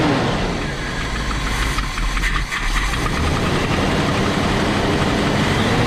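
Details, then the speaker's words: Big block Chevy V8 in a motorhome, cold snowy day, after opening the fuel line and getting fuel pumping: engine catches and settles into steady even rumble with no knocks or misses; normal running. "Oh, that sounds better. There we go. Oh, that sounds way better."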